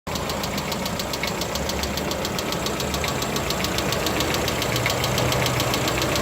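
Crisp light ticking, about three to four a second, riding over a steady idle; a hydraulic lifter tapping, which the maker calls normal.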